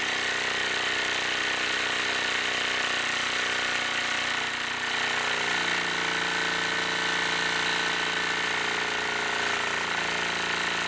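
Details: Wilesco D-18 tabletop steam engine running outdoors in a back garden, throttled down: steady light chuffing and mechanical chatter at an even pace, no knocks or scraping; normal smooth running.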